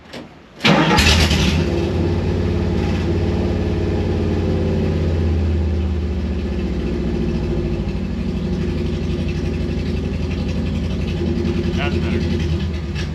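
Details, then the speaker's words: Subaru EJ25D engine swapped into 1974 VW Bus, in neutral with parking brake on, parts moved from old EJ25: catches quickly, loud steady even idle with deep exhaust rumble, about 780–825 rpm, no stumble; normal idle. "definitely need to fix that but you can see how much better the idle is we're looking at about 780 to 825 RPM idle"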